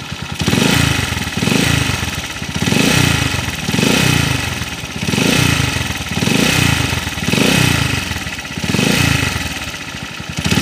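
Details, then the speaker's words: TMX155 motorcycle idling; owner says it knocks when cold, quiet when warm: rough clattery, vibrating beat swelling and fading about every 3.5 seconds, suspected worn crankshaft bearings. "oh kakaiba yung tunog nito mga kaabo kakaiba yung andar niya yung ingay ng makina kakaiba oh parang may ma-i na umiikot sa loob"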